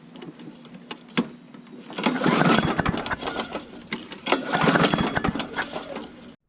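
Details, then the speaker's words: Old Murray push lawn mower, primed, cold: two bursts of rapid pull-cord cranking with rattling but the engine never catches; hard starting. "let's get this thing fired up it's been a little cold up all right I'm gonna keep trying anyway"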